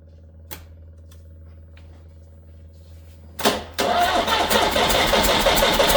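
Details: Backyard-find 1987-parked Peugeot 504 diesel, fresh diesel pumped in: extended steady cranking about three beats a second, briefly almost running, then never catches; starter struggling; owner guesses a valve train problem, not confirmed.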